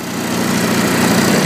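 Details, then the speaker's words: Zanotti 1400 refrigeration unit power pack, small engine direct-driving a full-size compressor, during shutdown with master power switched off: steady buzzing eases and settles as the compressor cuts out and the engine unloads; normal. "can hear the engine unload because the compressor shut off."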